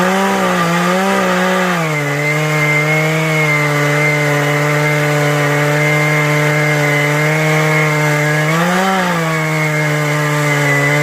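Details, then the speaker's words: Husqvarna 435e chainsaw with 18-inch ripping chain on a Granberg G777 Alaskan mill, running at full throttle while cutting; steady high two-stroke howl holding pitch, dipping briefly under load; normal, not bogging. "Okay, I'm going to show you what it sounds like when the saw is running at 100% versus being foggy. So this is 100%."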